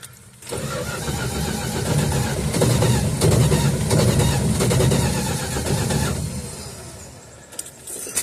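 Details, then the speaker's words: 1969 Dodge Dart left sitting six months with old 10% ethanol gas: steady starter churn of about four beats a second for several seconds, catching only briefly or not at all; fuel-starved carburetor, accelerator pump not squirting. "I'd say it's running. Just not very long. Yeah, I think we're running into the same problem. Not enough fuel."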